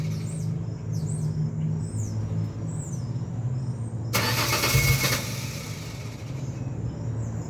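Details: 2001 Ford Ranger XLT 4.0 V6 on a cold morning start, outdoors with birds: a low, rhythmic cranking churn, then a brief louder burst as it is slow to catch. This happens only in the morning and it runs fine afterward; cause not found.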